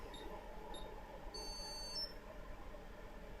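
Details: ZX Spectrum issue 4S test board (socketed RAM) checking a ULA chip: brief high electronic beeps over a quiet room hum; powers up cleanly, stays green, ULA functioning correctly.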